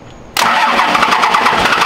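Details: Cummins-swapped Dodge Ramcharger, first startup attempt after new starter wiring: fast, even starter churning as the engine turns over repeatedly but never catches. It cranks without firing.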